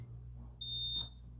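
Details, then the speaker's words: Hardwired smoke detector test during a system reset with the breaker off; a single short high-pitched chirp, not as loud as wanted, little louder than the room hum. "and then test it's not what I wanted to hear that is not loud at"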